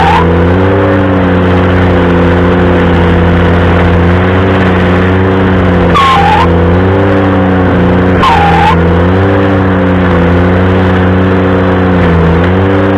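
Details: Ventrac stump grinder under load: steady engine drone broken by two short high squeals lasting under a second each; cause unclear.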